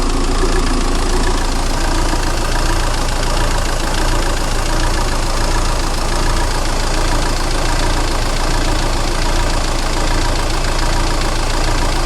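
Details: 2000 Renault Laguna 1.9dCi 110hp, 240,000 km, at idle: loud diesel knock with rpm slowly oscillating about 85 times a minute, also under light acceleration; rough idle later solved by replacing the high-pressure pump's fuel pressure regulator valve with a new Bosch one.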